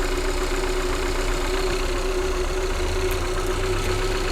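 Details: 2015 Kia Soul petrol engine idling with an uneven, lumpy low beat; check engine light sometimes flashing, scan tool shows a cylinder 2 misfire code.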